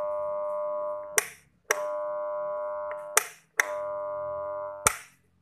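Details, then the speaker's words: Miyako blender motor, switched on, only hums a steady buzzing "ngeng" and does not turn; stalled by a seized bearing, fixed by disassembling and freeing the bearing. "Jadi di sini intinya tidak bermutar. Hanya kita hidupkan saklar, dia hanya dengung ngeng gitu aja ya."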